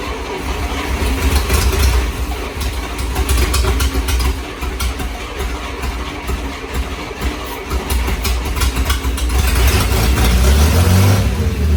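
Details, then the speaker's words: 1941 Plymouth Special Deluxe flathead, stored about 50 years, no fuel supply, running on fuel poured into rebuilt carb: uneven, lumpy firing surging and sagging with no steady idle; rough running. "the engines running you know well but it's brought a doesn't have a fuel supply so it runs as long as we threw fuel down a story right"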